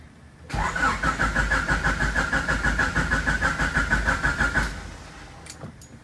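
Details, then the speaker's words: H22-swapped EG Honda Civic, first start attempt after a shifter cable replacement: about four seconds of steady cranking at roughly three turns a second that never fires, and fuel is smelled. "well let's see what we got going on now i smell fuel oh it didn't pop"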